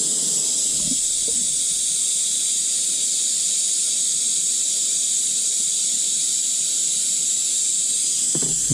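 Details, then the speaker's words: 1983 Mack cabover semi: loud, steady, high hiss of air escaping from the high-low air shifter, which leaks profusely; loose shifter or linkage also prevents engaging reverse. "I think this high-low shifter or the linkage is just so loose I can't get reverse. I'm not sure which. But as you can hear, the shifter's leaking profusely, so..."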